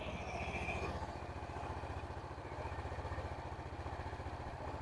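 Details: 2013 fuel-injected Honda Beat scooter revved after repair (bearing, cam chain and oil replaced) for a whistling whine: even, regular firing pulses, smooth exhaust note, no whine on top; engine now sounds healthy.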